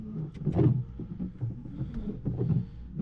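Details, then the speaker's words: Car windshield wiper after the blade was reversed, running on dry glass: a low motor whir with a soft rub on each sweep and no chatter. The earlier juddering is gone. "tá seco mas ela parou de dar aquela pedação sabe ba ela tava da Entendeu agora ela tá indo liso"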